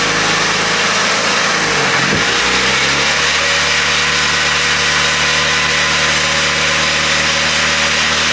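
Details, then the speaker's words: VW Jetta SportWagen during 4motion conversion, transmission just disassembled and rebuilt: engine dips then settles into uneven idle with gritty, rough drivetrain noise; unhealthy transmission sound, cause unknown. "completely taken apart the transmission put it back together and as you guys probably heard it doesn't sound very good or very healthy"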